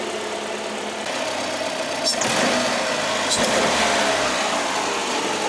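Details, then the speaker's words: Freshly rebuilt engine (machine work plus parts and gasket kit) idling in neutral after the rebuild: a steady, regular idle with an even beat, no tapping, knocking or misfires, and barely any smoke; normal healthy idle. "oh my God sounds good I don't hear any alarmingly scary sounds"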